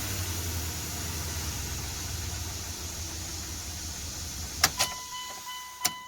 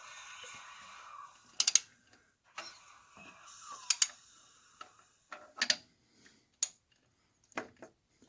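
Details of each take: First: Dodge Dakota 4.7 V8 after timing chain replacement, first start: catches and settles into a steady, even low rumble with no knock or chain rattle; previous noise gone, normal idle. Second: Dodge Dakota 4.7 V8, timing chain job: engine turned slowly by hand gives uneven bursts of light metallic clicks and rattles as the loose, slack timing chain slaps against its guide, producing the chatter.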